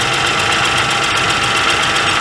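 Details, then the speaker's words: 2012 Chevrolet Traverse 3.6L with P0300/P0304/P0354 misfire, new plugs and coils on cylinders 3 and 4: rough, loping idle with a missing pulse, skip heard while cranking; a cylinder is dead with no compression. "that's an interesting sound that does not sound good she's firing i noticed it had a skip when i was cranking on it"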